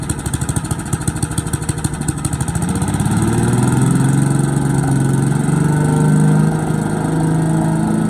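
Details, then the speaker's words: Boland's 3.5 chipper shredder, stored under a tarp in a backyard for 10 to 20 years, pull-started on choke after reassembly: choppy, uneven firing right after the pull, then it picks up to a steady, even high-speed run; healthy, and it shreds. "The chipper that sat in Dad's backyard for probably 20 years. Well, I know at least 10 for sure. It runs, it shreds stuff."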